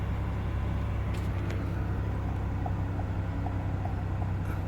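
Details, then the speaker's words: Chevrolet Impala after repairing a sudden no-start with no power to the starter, battery reconnected: engine starts and idles with a smooth, even low rumble, steady firing, no misses or knocks; car recognizes everything again. "so let's see if everything is back working all right and [Music] and that's it car back working"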